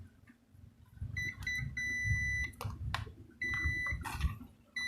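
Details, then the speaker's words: Philips blender motor, multimeter continuity test of the left and right field coils: a handful of clean steady high beeps as the probes touch; both coils intact. "Nah , ini juga dalam kondisi baik, artinya kumparan kiri dan kanan sama-sama dalam keadaan baik."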